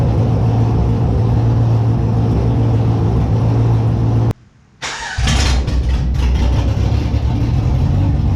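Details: Holden Monaro engine after reassembly with a new Crower cam (217/226, 114), open headers not joined to the exhaust; fires on the first crank into a loud, loping idle with a deep uneven chop and rev blips; normal cammed idle.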